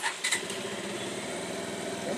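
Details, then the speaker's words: Bajaj Pulsar after replacing a faulty 4-pin relay that was cutting power when moved: quick catch on the starter, then a steady, even single-cylinder idle with no stumbling or cutting out. "Perfectly బండి అయితే start అయింది. ఒకసారి దీన్ని అటు ఇటు కదిలించండి, ఎంచండి, వైర్లు కదిలింది నీట్గా."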